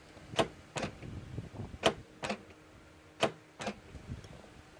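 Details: Land Rover Discovery 4 (L319) with a dead rear wiper and an upper tailgate that won't open from its handle. Grounding the BCM signal wire (pin 3) makes the latch actuator cycle with sharp paired clacks every 1.5 seconds, working; the handle switch is suspected faulty.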